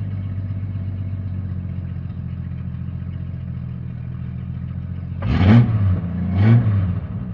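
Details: Jeep Cherokee XJ 4.0 High Output: low rumbling idle with faint rattle, then two quick throttle blips swelling the drone; noise traced to the torque converter, not the engine.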